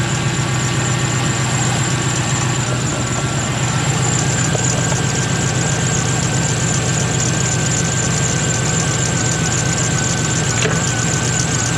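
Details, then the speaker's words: 1996 Impala SS with 5.7 LS swap and tune dialed in: after a new idle air control valve fixed the idle, it idles low and steady with an even, choppy cam lope, no misses or hunting; normal idle. "so we put a brand new uh idle air control valve on it and that seemed to fix the problem so she idles good she actually chops"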